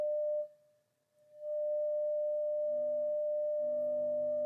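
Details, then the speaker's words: Telefunken Gavotte 55 tube radio after recapping, signal muted: steady hum cuts out briefly then returns when the tube socket is disturbed; dirty tube socket needs more cleaning. "the hum there it's gone so our tube socket needs a bit more cleaning"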